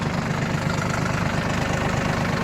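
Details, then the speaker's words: Yanmar RS30 30 hp Japanese diesel mini tractor, driven in 2nd gear with reverser: steady, even idle with a regular low throb, no knocks or rattles; runs without any noises, healthy. "Без каких-либо шумов трактор работает."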